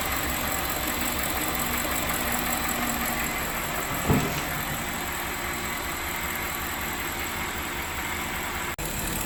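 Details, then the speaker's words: BMW E65 735i V8 first start after engine swap, running with no exhaust fitted: loud raw idle, steady and even with no misses or knocks; a vacuum leak was heard at startup. "it's working freaking perfect everything is okay"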